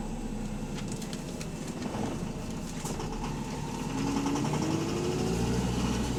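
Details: Diesel bus engine (AL HV48, route 335) idling with a loud, fairly regular knock, roughly three or four per second; rod knock from a worn connecting rod bearing.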